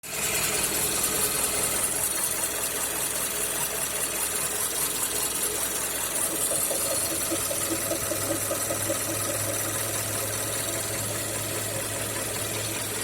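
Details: Mazda CX-5 2.5 L PY Skyactiv, well warmed, at idle about 30 seconds after stopping: light, uneven ticking knock over a busy, raspy hum. Owner suspects the intake manifold swirl flaps.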